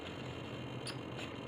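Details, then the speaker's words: Spartan gyro on a Quark helicopter: quick repeated servo whirs sweeping back and forth over a steady low hum on entering programming mode; normal programming-mode servo sweep. "see as we enter programming mode it just goes back forth back forth back forth back forth"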